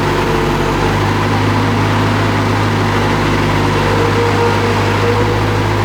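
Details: Bobcat skid-steer loader being diagnosed for ACS light, fault codes 3265 and 32-49, and loader arms not unlocking: steady low diesel drone with an even, unbroken note, no knocks or surging; normal running.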